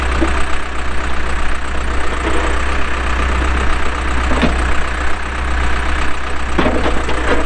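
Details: 2007 Case 580M Series 2 backhoe, pre-emissions diesel, 4WD, 3,812 hours, operating: steady low diesel rumble with a few sharp clanks from the working machine; engine runs even and strong under hydraulic load, hydraulics strong.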